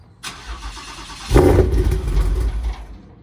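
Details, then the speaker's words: Car with a 10R80 transmission, running on its stock bottom end while the sleeved motor was rebuilt: starter labours about a second before the engine catches roughly into a lumpy idle; hard start, which the owner says is unusually bad, cause unclear. "it does not normally struggle this bad that's true"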